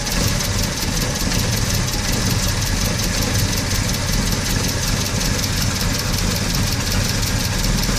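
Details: VW Gol CL 1.6 AP with a cold engine: a steady fast tick rides over a rough idle. The source of the noise is unknown.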